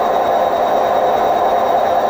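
Loud continuous roar during the fast spin, like a passing train, with no let-up; typical of worn drum bearings.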